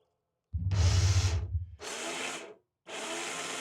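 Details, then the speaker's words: Rieco-Titan electric truck camper jack motor runs in short bursts with a loud coarse rumble and rattle, much noisier than a good jack; head assembly removed for diagnosis, replacement needed. "so as you can hear it's pretty noisy compared to this one oops so we're going to fix it"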